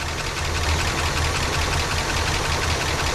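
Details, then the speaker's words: 1967 Cadillac DeVille convertible V8, long-stored, first start on a shot of ether: uneven loping idle with a thump dropping out of the firing rhythm, noisy lifters; cylinder seven runs cold despite good spark and correct firing order, so a dead-cylinder misfire. "I'm still having a problem with number seven misfiring and I just swap"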